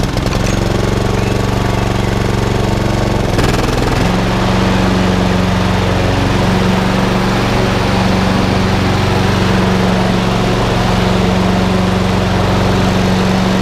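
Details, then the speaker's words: Honda HRX476 lawnmower after rota clutch repair, clutch now working: single-cylinder engine settles briefly at startup, then runs steady and even with regular firing, no misses or knocks; normal running. "At least now I know the rotor clutch is now working. Just going to fire it up one more time because I'm over the moon and ecstatic."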